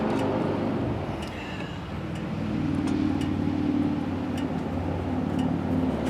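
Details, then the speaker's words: Early-1990s Craftsman GT6000 tractor, Kohler Magnum 18HP, after carburetor cleaning and rebuild, fuel now reaching filter after starting fluid: steady even putter about 220 beats a minute, no misses or surging; running much better. "it's running now oh my goodness that sounds so much better yeah that's amazing my goodness that sounds so nice"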